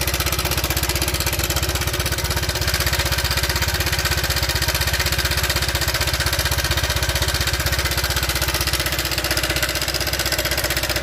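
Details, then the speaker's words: Honda Vario Techno 125 scooter with rough engine complaint: loud metallic top-end clatter at idle from cam chain rattle; oil very black, cam chain tensioner stopper broken and needs replacing. "ini stop tensionernya sudah jebol alias tidak berfungsi lagi ini Kalau sudah seperti ini sebenarnya kita harus ganti saja kawan"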